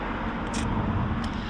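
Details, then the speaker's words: 2010 Fiat Panda 4x4 1.2 8v petrol, bought as spares or repairs: a rough, uneven, stumbling idle with the engine visibly shaking. A misfire, traced to cylinder 3; the engine has two coil packs. "look how that baby is shaking it's shaking we are going to see if we can diagnose this misfire problem"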